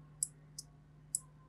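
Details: Homemade relay module switched by a BC547 transistor from a microcontroller-level signal. Crisp, sharp clicks as the coil energises and the contacts snap over, with a faint hum behind: a clean, healthy relay action.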